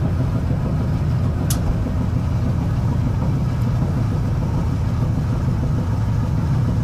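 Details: Gas dryer that wasn't heating, after clearing a spider web from the gas pipe and burner tip and blowing out dust: steady low roar with even rumble and no popping, full flame much stronger than the original low flame.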